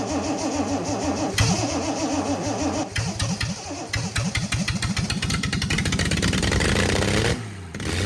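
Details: Freshly rebuilt Triumph TR6 six, head shaved 60 thou (about 8.4–8.5:1 compression), first start cold on choke with carbs unadjusted: cranks, catches, then holds a raised, wavering idle with uneven pulses; rough cold running, cause not confirmed.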